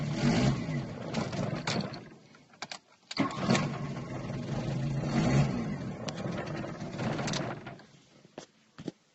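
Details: Golf Mk2 with CIS injection misfires and stalls once the alternator starts charging: engine catches, then idles unevenly with stumbles and dips, revs sag and recover; fault traced to a failed Hall sender in the distributor.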